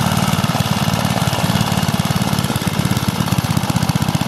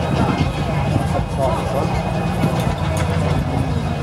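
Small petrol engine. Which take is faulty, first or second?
second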